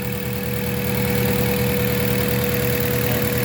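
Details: Mazda 3 gasoline engine idling steady but with an uneven, loping pulse about four times a second; rough idle, possibly a misfire, not confirmed.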